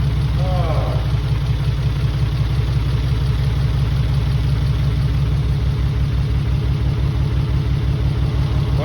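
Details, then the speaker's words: Mitsubishi 3000GT VR4 with new engine on first start, old injectors that had been sitting: loud, low rough idle with an uneven, lumpy beat of about three pulses a second; probably one or two cylinders misfiring, cause not confirmed. "Probably one cylinder misfiring right now, or maybe two."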